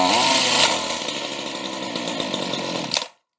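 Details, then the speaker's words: Used chainsaw with a very loose chain, chain brake test: the high-revving saw drops to a lower held note as the brake grabs, then cuts out, so it works well. "okay and that works pretty good"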